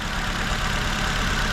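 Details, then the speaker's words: 2004 Nissan Sentra shaking: uneven, lumpy idle with a low stumble as one cylinder drops out. No misfire codes, only an air-fuel ratio sensor code. Injector pulse confirmed, so wiring is good; likely a clogged injector not delivering fuel, to be replaced. "so the most likely problem here is you probably got a clogged injector it's not injecting fuel in there and that's why you're getting that miss"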